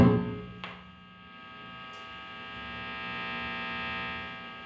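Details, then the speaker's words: Electric guitar near LED lamps, microphone in front of the amplifier at high volume: steady mains-type hum with a buzzy edge swelling through the amp; electrical noise picked up by the pickup through induction from the lamps. "Ele vai captar e vai amplificar esse ruído elétrico aqui. Ele tá só, entre aspas, só por indução. Ele tá só pela indução ali do captador próximo às lâmpadas."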